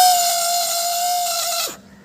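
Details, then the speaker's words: Suzuki Access 125 scooter self-start: a loud, steady high-pitched whine while the starter spins, dying away on release. The starter motor is worn, with its inner bush worn and causing play, and the motor was replaced. "ये देखिए ये ऐसे sound आता है तो कोई भी बांदा क्या समझता है की हमारी गाड़ी का जो अंदर होता है भिंडी से या गियर कुछ भी खराब हो"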